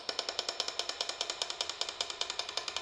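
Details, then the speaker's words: Non-running engine crank turned by hand; sharp metallic taps about two or three per second from loose clearance on a worn rod bearing, rod knock that would be heard at idle. "That noise is a rod knob. Basically, your car will be idling. You'll hear this."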